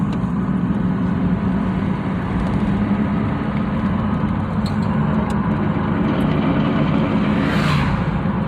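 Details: 1999 Dodge Durango 4x4: steady low drone over road and engine noise when lifting off the gas, seemingly from the front; coast-down noise, source not pinned down, cause unconfirmed.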